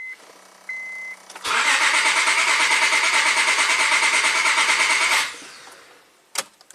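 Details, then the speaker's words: 2006 Honda Accord V6, 205k miles, misfiring at idle with persistent P0300 despite new plugs and coils, cranking at full throttle with pressure transducer: pulses about three a second, uneven with one lighter beat, one cylinder low on compression. "all right so now you could you could hear um clearly hear that one of the cylinders was a little low"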